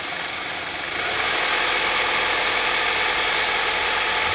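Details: Saab 9-3 SS: steady, fairly even tapping about three to four times a second over a hissy idle; abnormal engine knock, source unclear.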